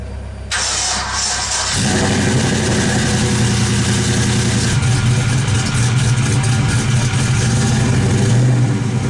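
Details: Suburban V8 with new headers, spark plug wires and dual-clutch lightweight flywheel, first start after clutch slave work: short crank, catches and revs freely into a deep even rumble, no clutch rattle; healthy.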